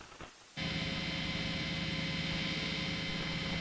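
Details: Harley Benton TE-80 single-coil guitar, unshielded, before any copper-tape shielding of the control cavity or pickups. A steady buzzing hum rises as the amp comes up and holds constant with hiss on top: typical single-coil pickup hum.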